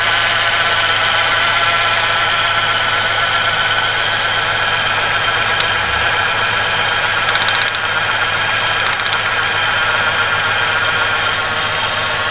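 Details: 1995 Ford Ranger Splash 3.0L V6 at idle: steady idle with a faintly uneven, lumpy beat and constant hum, heavy vibration and strong gas smell; possible miss on one cylinder, spark plug wires being checked.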